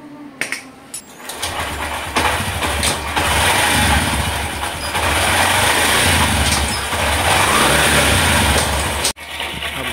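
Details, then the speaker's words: Honda SP125 BS6 at 42,417 km after home fix for knocking chain noise: idling with steady even chatter, no slap or rattle from chain; chain drive sounds normal. "देख सकते य से कोई न यहां से भी कोई नॉज नहीं है गाइस जैसे आ रहा था तब देख सकते हो गाइस कोई नॉज नहीं है एकदम ही नॉज नहीं है"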